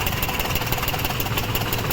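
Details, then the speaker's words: Maruti Suzuki WagonR idling on CNG with misfire and vibration: sharp, even tak-tak ticking about six per second from the first CNG injector over-flowing; the ticking stops when its socket is unplugged, and the injector is to be replaced. "यहां प टक टक टक टक का आवाज आ रहा है अभी फर्स्ट वाला निकालता हूं देखते बंद होता है क्या यहां पे सॉकेट निकालने पे आवाज बंद हो गया"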